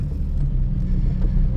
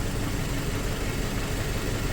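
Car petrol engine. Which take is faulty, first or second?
second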